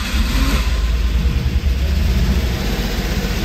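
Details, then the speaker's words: 1989 Ford Bronco II, first start after sitting for years, with new battery and working fuel pump: low, steady idle rumble with an even beat and no knocks or misses; oil pressure in the high 50s. "there it goes [Music] oil pressure looks good it's in the high 50s"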